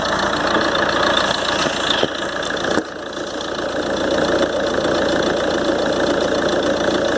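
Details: Ford Transit 2.2 (7G) 2013 diesel, cold start after about a minute running, after turbo repair (new compressor wheel, shaft bushings, seals; actuator motor, worm and sector replaced): steady idle with thin high non-changing whistle; repair failed, owner suspects imbalance.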